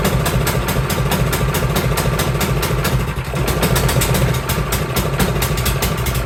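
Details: Cub Cadet 524 snowblower that the owner says runs rough and smoky, started in neutral with a high-amp power supply in cold, snowy weather. The small engine runs lumpy and uneven at startup, the beat stumbling rather than settling, with the choke stuck on.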